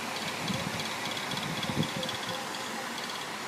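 A running fan with a steady airy hiss and a loose, uneven rattling underneath from worn motor bearings.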